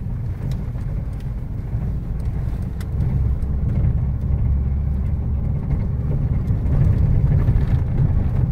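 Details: Pickup driven on the road after suspension work: only steady tyre and road rumble, and the earlier rattle has stopped; suspension quiet.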